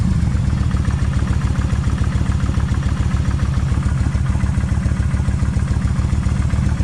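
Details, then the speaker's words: Kawasaki Vulcan 1600 with about 70,000 miles, original cam chain adjusters; even V-twin idle with faint quick light tapping from front cylinder top end, less than before: light ticking at idle. "right okay they just a little bit of a tap right in here that's okay maybe it'll go away maybe it'll stay I don't know"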